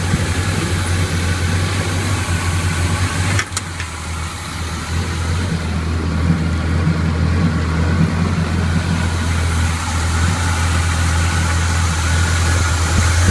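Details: 1981 Chevy K10 V8 with Quadrajet carburetor, after fitting a Mr Gasket heat dissipator for fuel boiling in the bowl and a new non-binding throttle cable: steady, deep, even idle rumble, no misses, ticks or knocks; normal idle.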